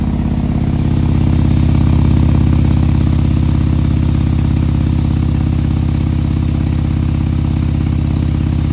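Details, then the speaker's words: 2020 Harley-Davidson Road Glide with 130-inch T-Man Performance engine, fresh build idling cold to warm up so the pistons expand before revving: deep, steady, evenly paced lumpy V-twin beat, no ticks or knocks; normal warm-up idle. "so with these things when you fire these up you gotta let them warm up you can't just go rev him up and beat on him right pistons have to expand"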